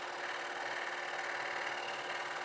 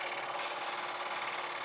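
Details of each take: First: Scroll saw cutting triple-stacked wood including cherry, running at about 80% speed: steady, even buzzing hiss with no bogging or stalling; cutting smoothly. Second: see I hear the chattering getting louder now which tells me that my blade is dulling so I'm not getting a lot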